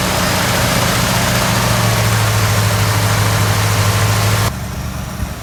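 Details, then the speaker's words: 1970 or 1971 Ford Torino GT 429 V8 that sat about 15 years, first start after the original carburetor was rebuilt and cleaned: steady, even low hum, no stumbling, then shut off. Normal idle. "Runs pretty good. At least I think so. For sitting as long as she did."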